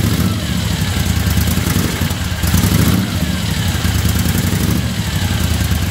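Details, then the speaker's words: 1975 Moto Guzzi after revival, cold start at about 40°F with choke on: deep even low rumble holding steady, no knocks or misses; normal cold idle. "It's about 40 degrees out here, so chokes on. Key on. Watch this one finger."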